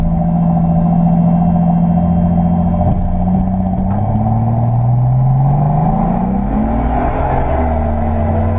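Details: Nissan L28ET engine: revs rise and fall unevenly with a rough clattery drone, followed by loss of power and smoke from the exhaust; cause undetermined.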